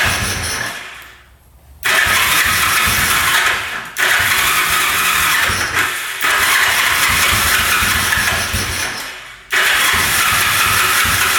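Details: 1974 Yamaha TX500 sitting 27 years in a barn, oil poured down both cylinders, choked, about 50 start attempts: starter grinds in long bursts with pauses, engine puffs a couple of times and stalls, never running on its own; cranking no-start.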